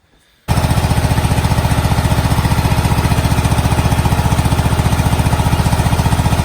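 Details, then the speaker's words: 2003 Craftsman GT5000 garden tractor V-twin: heavy, lumpy thumping at about 220 beats a minute while firing only on the left cylinder. The right exhaust is barely lukewarm after running, and the owner suspects that side's coil pack is dead. "that tells you all you need to know. We are only firing on the left-hand side cylinder here."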